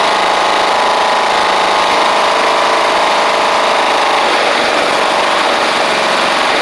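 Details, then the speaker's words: Toro Proline walk-behind mower with Kohler Command single-cylinder, after new spark plug and carburetor, blade missing: steady, even drone with no surging or sputter; normal running. "That's great. That is excellent. I should have fixed this thing 6 months ago as soon as I got it."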